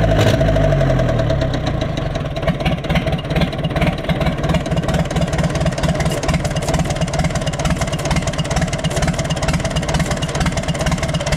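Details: Universal 550 diesel tractor idling. Heavy, regular knocking at roughly two per second rides over the idle. The rod bearing is worn, with up-and-down play, and the crankshaft is scored about 1 mm.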